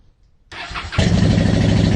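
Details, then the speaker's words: 2010 Honda Shadow Phantom, after replacing trashed fuel injectors (16450-MFE-641) with non-Honda units: brief crank, catches into a steady, even idle with no misses, seemingly much better than before; clean start after repair. "It sounds so mean. It sounds so much better. Is this placebo or does it sound better? Guys, I think it sounds better."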